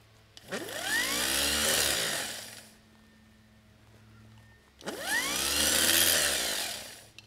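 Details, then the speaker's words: Starter motor with a cable-operated (pull-rope) switch rather than a magnetic solenoid, bench-run on a classic car starter: two quick bursts winding up to a steady high whir and coasting down cleanly; spins freely, normal. "we connect it so you can see how the motor starts up here then you can see how the switch is slowly activated"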